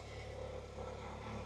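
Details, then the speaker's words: Saab 9-3 after fuel level sender replacement, fuel pump primed three times: fires right up and settles into a steady even idle, unbroken low hum, no knocks or stumbles; normal idle, gauge reading properly. "so I primed it three times let's see if it starts fired right up"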